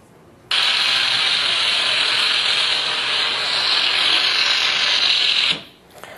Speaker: okay you can hear the crackle in there that motor needs grease when you hear that crackle it's dry what's actually happening is you're hearing the grease that's in there separate that's what's making the pops